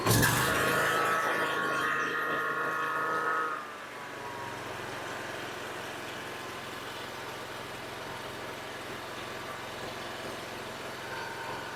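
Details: Toro mower with Kawasaki engine, previously running badly and leaking gas, started on choke after an oil change. A loud rough run while flooded, with smoke from the exhaust, then a steady, even idle with no misses; normal running.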